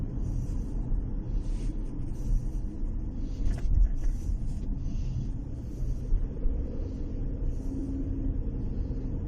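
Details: Chery Tiggo 4 crossover CVT while driving: only a steady low road rumble with no tone rising or holding above it; the CVT does not whine.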